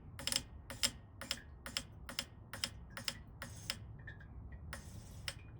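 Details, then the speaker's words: Failed K20 Honda Civic race-car injector fired straight off battery on the bench: sharp regular clicks about twice a second, then scattered taps; it works, but its damaged coil resistance makes it draw more than the test driver's current limit. "So she does work, but that resistance is causing a problem."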